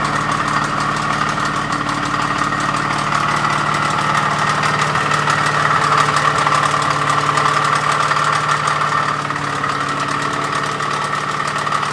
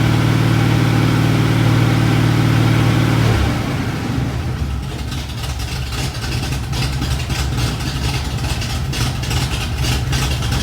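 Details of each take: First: Ford small-block hydraulic flat-tappet engine with new rods, timing chain, cam and lifters, during break-in: heavy marble-like knocking at idle; bottom-end rod and main bearings almost disintegrated. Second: 1986 Ford F150 with freshly rebuilt 5.0L (1996 Explorer roller motor, shaved GT40P heads, E-303 cam, long-tube headers, Edelbrock AVS2 carb, HEI) after a bottom-end failure: strong, even V8 rumble settling to a smooth idle, no knocks or misses.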